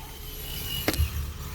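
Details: 2006 Nissan Frontier whose recirculation door over-travelled and knocked, after the fix of a zip tie between the vents behind the glovebox: a single soft thump as the door opens, then quiet, with no knocking; it now works properly.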